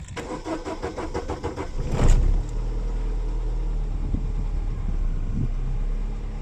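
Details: 2000 Holden Astra, 1.8 L 18XE engine, fuel pressure holding 50 psi: starter cranks about two seconds before catching, then rough sluggish idle; long-cranking hard start, cylinder 3 misfire being checked.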